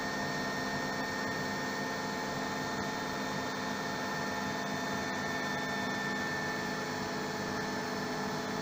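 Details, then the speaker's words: RO plant high-pressure pump after raising its current setting to 1.5 A on the digital panel so it stops tripping: even, unbroken motor hum with a thin steady tone, no cutting out or surging; running smoothly. "अब आप देख रहे होंगे कि अब ये बंद नहीं हो रहा है, ठीक है।"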